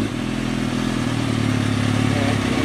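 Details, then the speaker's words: 2003 Kawasaki ZX6R four-cylinder at operating temperature after resetting the timing chain tensioner, fan kicking on, small coolant leak at the reservoir, no smoke; smooth steady hum with even firing and no ticking or chain rattle, normal idle. "so yeah the fan kicks on when it should small coolant leak from the reservoir and it's not smoking so i think we got a good motor here sounds good after i reset the timing chain tensioner sounds great"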